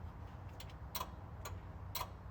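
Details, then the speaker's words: Newly installed Banvie push-to-start alarm on a Chevrolet C10, armed with key fob, no siren fitted: sharp regular relay clicks about twice a second from the module signalling the alarm is activated. "And as you can hear it, it keeps on clicking to show that the alarm has been activated."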